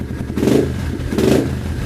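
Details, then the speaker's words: 2015 Yamaha TTR 230 after full exhaust, 14T sprocket, airbox and carb rejet (#130 main, #38 pilot), choke off: blips up twice from a steady idle, revs rise and fall cleanly, no misfire or clatter; runs healthy. "sounds good looks cool has a headlight"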